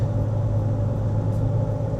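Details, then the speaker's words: High-mileage Subaru Forester on test drive during major service, cruising: steady low hum drone from the rear under road noise; suspected worn rear wheel bearing or differential, not confirmed. "That's either a rear wheel bearing or the diff is a little bit how you going."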